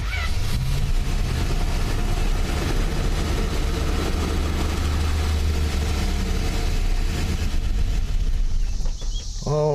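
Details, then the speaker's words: Forgotten Plymouth Valiant, carburetor primed with gas, battery reconnected: engine starts right up and runs with steady low rumble, no misfire or stumble; oil pressure good. "righty then we got a wheel pressure that's good that just start right up didn't it"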